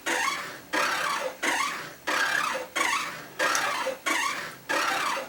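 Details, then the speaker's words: Stamina InMotion E1000 elliptical trainer with a little rust visible on the bearing, giving a harsh squeal-growl that repeats with every stride; a rod is rubbing the wheel. "know if you can hear that but it's pretty objectionable and it's growling"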